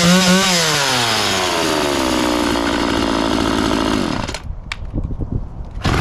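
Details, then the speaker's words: McCulloch Mac 3200 32cc 14-inch chainsaw after repair: crisp rev that climbs, holds a clean high buzz and drops away cleanly; it starts easily, runs well and the chain oiler works. "so everything's good with this chainsaw it runs good sounds good starts ea"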